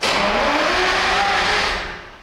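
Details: 1972 Peterbilt 352 with a Detroit 12V71 V12 two-stroke diesel, brought in because it wouldn't run: a strong, steady drone, then a smooth wind-down at shutdown; it starts, runs and stops cleanly.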